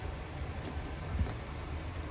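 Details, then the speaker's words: 2021 Wildwood 353FLFB travel trailer furnace running after thermostat start-up (heat delivered through the floor): a low, steady, even hum and rumble with no knocks, rattles or squeals; normal, healthy blower operation. "There's the furnace turning on, and then when you turn the system, to adjust your temperature, just turn that with the arrows up or down when you're in the mode that you want the fan to turn on."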